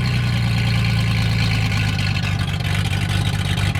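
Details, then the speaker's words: V6 car running loud and strong with a steady low drone and a touch of throttle, firing evenly without stumbling. It sounds angry on one side and has a power steering leak. "There she goes. It's loud. She sounds angry over this side."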